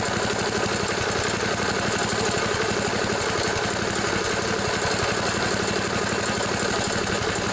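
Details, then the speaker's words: 1974 Sears Craftsman Rotospader rototiller with a Tecumseh engine, revived after long storage in a collapsed barn with a newly installed carburetor. Mixture screws were set one and one-and-a-half turns out; high speed was adjusted, air filter off. Steady, even single-cylinder beat, no misses: running smooth. "that's pretty good right there but it's nice and and adjust smooth high speed now that one's set pretty good where it's at"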